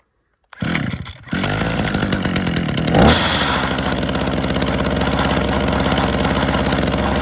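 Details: Tanaka THT210S two-stroke hedge trimmer, a non-starter, cold-started on choke after priming: it fires, catches and settles into a steady buzzing run without stumbling. Normal running.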